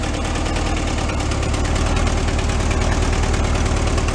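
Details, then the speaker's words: 1970 Amante GT kit car flat-four, barn-stored 44 years, at idle after replacing a bad spark plug; even, steady low burble with all four cylinders firing, no miss or stumble, normal idle. "Nice, we got it. Purrs like a kitten."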